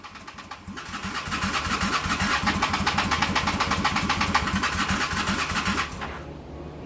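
The starter churns steadily at about four strokes per second for five seconds but the engine never fires, then cuts out. Cause suspected, not confirmed.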